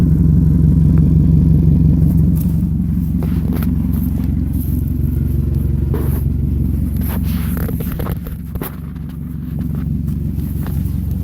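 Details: 1998 Toyota Camry with a leak at the exhaust flex pipe: a loud, raspy rumble at idle that swells and booms with each rev.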